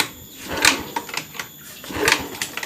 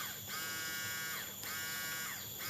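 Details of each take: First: Honda Beat eSP fuel-injected scooter, dead no-start with code 12 (injector) blinking: three kicks clatter through each stroke but never catch; fuel pump not humming at key-on, unpowered because of a loose fuse clip. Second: Honda Beat eSP injected scooter with no-start: fuel pump unplugged and wired directly to the battery gives a steady high electric buzz and constant whine, so the pump motor works; fault suspected in the socket or supply side.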